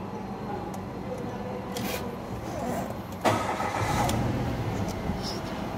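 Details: Mitsubishi Mirage with codes P0301 and P0261, cylinder 1 misfire and injector circuit low: cranks and catches, then runs with an uneven, stumbling beat; found a broken injector 1 connector socket.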